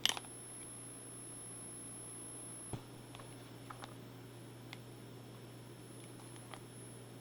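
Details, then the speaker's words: Electroluminescent-lighting inverter after its first noise fix (three glue sticks of hot glue applied) in a before/after test: faint, steady, very high-pitched coil whine over low mains hum, with handling clicks; still audible but less intense than before. "still hear the high pitch frequency but it's not as intense as it was before"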